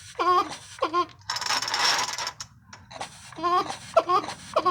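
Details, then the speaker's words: Craftsman 3.7 chainsaw, parts saw: each starter cord pull gives a springy, rising squeaky chirp with a rushing hiss between pulls; odd starter noise, cause unknown. "we've got this uh craftsman 3.7 saw here and this thing makes a weird noise or hopefully it'll do it for y'all"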